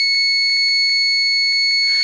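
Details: Refrigerator that won't run, unplugged, start relay removed and tested with multimeter: steady high-pitched continuity tone across relay terminals; relay appears to be working.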